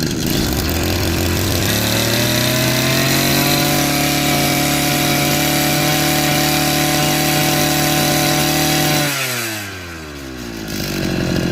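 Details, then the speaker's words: Old two-stroke brush cutter revving cleanly to a high steady buzz after cleaning carbon from the muffler outlet; before, severe body vibration and weak power at high rpm; now revs better, sounds lighter. "이걸 청소해 주고 나서 RPM도 잘 비교적 잘 올라가고 어 소리도 좀 더 경쾌해졌어요."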